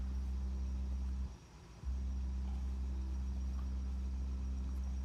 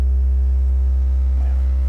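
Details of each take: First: Jeep Wagoneer S electric, front door speaker playing a 65 Hz test tone after repair: steady deep hum plays cleanly, door panel rattle gone even when pressing the grill. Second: Jeep Wagoneer S (electric) front door speaker playing a steady 65 Hz test tone, with a faint buzzing rattle from the loose speaker grill/door panel; touching the grill changes it; door panel revised several times for this issue.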